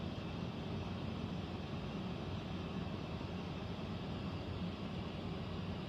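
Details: Central air conditioner air handler, apparently above the bedroom closet, making a steady low rumble and rushing air with no clear knock or rattle; owner questions a possible leak; abnormal noise, cause not confirmed.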